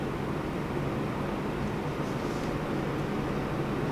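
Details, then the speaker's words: Mini split indoor blower on its highest fan setting after its dried-out motor bearings were replaced with 608-size bearings. Only a steady, even rush of airflow, with no grinding, squeal or rattle. "and it only sounds like airf flow so we fixed it good"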